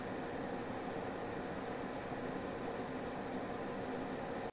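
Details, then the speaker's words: AORUS GeForce RTX 3080 Master graphics card under gaming load, fans just over 2000 rpm: steady, even airy whoosh at moderate, not loud level with no rattle, tick or whine; coil whine not audible here; normal fan noise. "here is a sample of it under load it's pulling about just over 2000 rpm the fans and moderate noise it's not really that loud at all"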